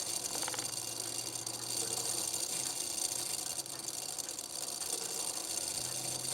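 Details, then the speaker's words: Antique Sessions clock movement, reassembled and out of case, minute arbor turned by hand a bit too fast: quick whirring rattle as the train runs through warning straight into strike with little pause, running freely; strike train working normally. "There it went into warning, and it started activating. I turned it a little bit too fast, so you didn't have much of a pause between the two."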